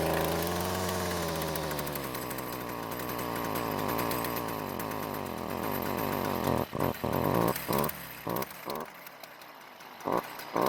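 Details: Stihl trimmer before repair: small two-stroke revs unevenly and falls back, sputtering and cutting out without reaching full speed; exhaust spark arrestor screen clogged with carbon, and it runs louder and reaches full speed once cleared.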